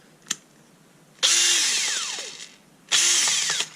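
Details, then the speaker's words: Kielder 18V brushless drill, intermittent fault where it works then stops: two high-speed bursts with shrill whine falling away on release and loose clicks inside; something rattling internally, owner suspects possible factory assembly fault. "rattling around so yes there's a a f somewhere strange fault seems to come and go and sound rather strange"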